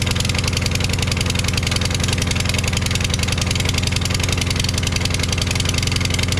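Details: Craftsman push mower, Briggs 550EX engine with new head, running on propane test: fast uneven thumping with hollow lumpy exhaust note from replacement muffler; runs rough, briefly normal, cause unconfirmed.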